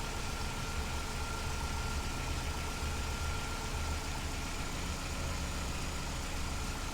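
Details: 2005 Vauxhall Astra G 1.6 twin-port with multiple fault codes, low power, lumpy idle, and cooling fans running continuously. Idling with a slightly uneven beat and wavering low rumble. Rough idle, cause unclear.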